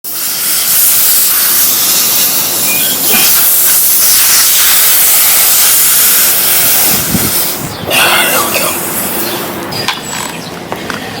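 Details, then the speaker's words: BMW E92 M3 wheel with low tire pressure warnings, two nails found in tire: strong steady hiss of air rushing out, fading near end; punctured tire leaking. "A few days ago I actually was having some issues with low tire pressure in this wheel."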